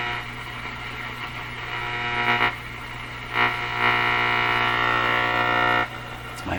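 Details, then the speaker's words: Nordmende Boheme C tube radio on shortwave band one near 3 MHz, volume turned way up: harsh buzzing hash over low hum swelling in bursts; interference from nearby LED shop lights. "shop lights making that sound my led lights so i've turned them down a bit so they don't make that noise"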